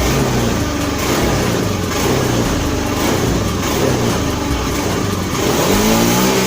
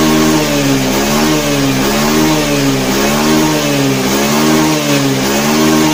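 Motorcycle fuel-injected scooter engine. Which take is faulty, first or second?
first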